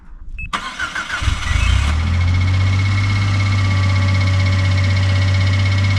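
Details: 2018 Suzuki Every Wagon DA17W type 2, R06A engine, 55,000 km, oil changed every 3,000 km: cold start catches, then idle with a steady low drone and faint ticking; abnormal engine noise, cause unclear.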